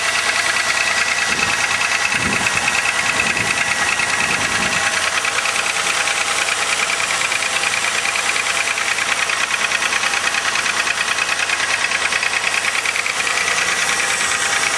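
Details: 2000 Chevrolet Malibu 3.1L V6 with 145,000 km on a cold start: sharp, regular knock about three per second over the engine clatter, only slightly better when warm. Suspected piston slap; gasket replaced, engine flushed and thicker oil didn't help.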